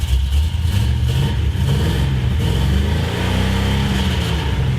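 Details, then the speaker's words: 1973 Plymouth Road Runner big block after fixing header leak, header bolts and intake leak: deep smooth even V8 rumble through light revving, no ticking or puffing from headers; normal exhaust note. "you guys can just feel the exhaust real quick because it sounds nice now"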